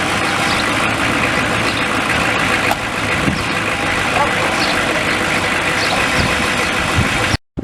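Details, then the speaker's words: Truck that kept dying now and then, after work at the fuel tank (straps, protective shroud refitted), on test run: steady even engine rumble with road and wind hiss, no stumbling or cutting out; running fine now. "just got back, taking a test run, and he made it back home, so I guess it's working good."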